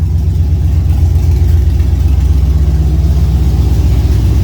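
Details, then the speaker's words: 1999 Chevy Tahoe with LS swap and Holley Terminator X Max, after IAC adjustment: steady, even low idle with a smooth firing beat and no whistle or hiss on top; earlier noise gone, normal idle. "you guys hear that I got rid of that sound let's go see yep I did"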